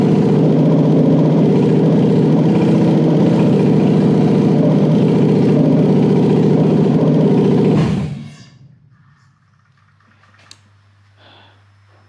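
Steady, even V8 rumble at idle with no misses or knocks, then a clean shutdown into quiet; the engine is running properly.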